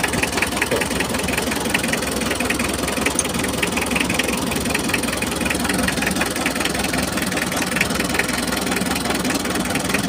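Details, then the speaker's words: Mitsubishi L300 diesel idling while injector lines are loosened one by one: lumpy idle with irregular knock; cylinder three nozzle appears clogged, number four barely delivers, so all nozzles are to be removed for cleaning. "Nah, sekarang kalian bisa lihat nomor tiga, teman-teman. Sepertinya bagian noselnya tersumbat."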